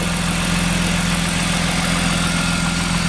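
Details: BMW E36 M3 test start after fuel pump and damaged wiring connector replacement: even, steady smooth idle with no knocks, misses or hunting.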